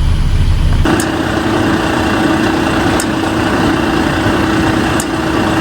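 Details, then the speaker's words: Mercedes truck after the AdBlue repair: diesel idling steadily with a faint sharp tick about every two seconds over a hum as the pump doses AdBlue, about 10 bar pressure; normal operation. "that's the go pump cing away G blue into the uh DPS so that means it's getting from it pump presses up right run right so I'm happy with that"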